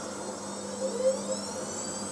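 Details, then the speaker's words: Miele W562 washing machine with new motor brushes, going from a long tumble into spin: smooth, steady motor whine climbing gently as the drum winds up, clean and even, likened to an FHP motor; healthy brushed motor. "sounds so nice. Wow. Now that I actually like that. Yeah. It initially sounded like if an FHP motor was in a 9.5."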